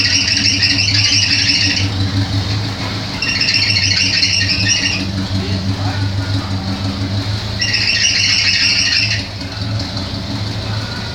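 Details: Chevrolet Opala Coupé running with bursts of high, shrill squeal every few seconds; slipping accessory belt, due for replacement.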